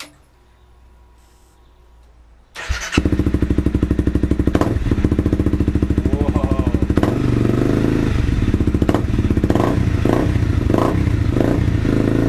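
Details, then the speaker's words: 2013 Honda CRF250L just fitted with FMF PowerCore 4 and Megabomb exhaust, started on the stock jet without the power programmer: fast uneven single-cylinder idle with sharp exhaust pops on blips; backfiring, cause not confirmed. "Carrying on a bit, backfiring and all that, but that is going to be"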